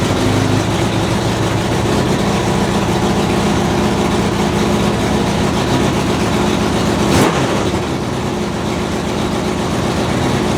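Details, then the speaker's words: 2004 Honda CBR 600RR after installing a custom catless full-system header with slip-on: loud, raspy idle with dense puffing chatter, sounding like a V8 from a big exhaust leak at the header joint. "um the thing sounds like a V8 because it's got such a big exhaust leak"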